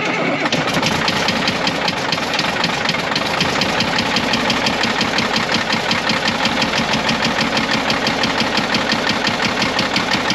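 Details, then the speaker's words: Caterpillar 977L 10.5L diesel right after start-up: hard, rapid knock over the diesel clatter, keeping pace with idle, from the back of the engine despite good oil pressure; suspected injector knock, number six cylinder dead, not confirmed. "no roll it over I don't hear no knock yeah let me give it to me there good job a going to hurt oh yeah she's got some kind of knock"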